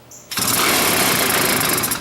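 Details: Mini chopper's small two-stroke, said to need a carb job, with gasoline squirted in by hand since the ether ran out. It bursts into a harsh buzzing run for under two seconds, then dies; fuel starvation, runs only on the prime.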